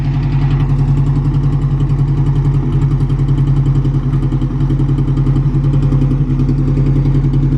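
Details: Car with a newly fitted distributor. Low, pulsing idle with an uneven beat and occasional stumbles; the sound appears at anything under full throttle and clears at full throttle. A fuel issue is suspected, with different injectors possibly to be tried.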